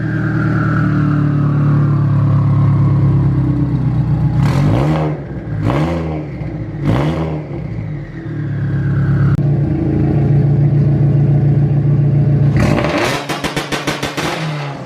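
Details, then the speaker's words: Turbo Subaru BRZ with built motor, new custom 3-inch catback exhaust, new ID1050X injectors, vented hood and open air filter: rough lumpy cold idle with three sharp revs, each with a clear rising turbo whistle. Normal, loud turbo. "Dang, that turbo's loud. That's freaking loud. The turbo, you can really hear it though."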